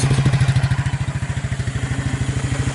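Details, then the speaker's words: Suzuki KingQuad 300 4x4 ATV, abandoned and revived, first start after converting from Mikuni to Keihin clone carburetor, estimated about 1,500 hours or miles; even single-cylinder thump, steady idle with no misfires; normal idle. "I like the way it's running on that little carburetor"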